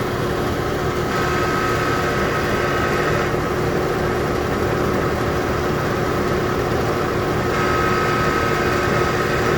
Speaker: The air conditioner did turn on. However, you can hear it makes a grinding noise.